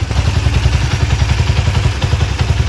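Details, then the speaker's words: China-made Honda CD70-type 70cc bike idling with no throttle, oil pump working; even single-cylinder thump with faint light tick from slightly loose tappets; otherwise healthy, normal idle. "और जो साउंड है इंजन का वो भी अच्छा साउंड है, क्योंकि चाइना बाइक है और हल्के हल्के जो टैपट हैं वो लूज़ है, उनकी आवाज़ है टिक टिक"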